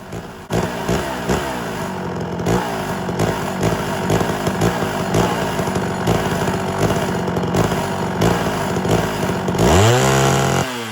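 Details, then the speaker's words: Homelite Super XL chainsaw with rebuilt Tillotson carburetor while tuning, with a snappy trigger: uneven, wandering idle that changes after a second or two, then a rev to full throttle with a wet gurgle; settings seem to drift; cause suspected, not confirmed. "so right now it's running pretty good good snappy trigger and I got a little bit of a gurgling sound going on whenever I go full throttle did you notice the idle change after a second or two"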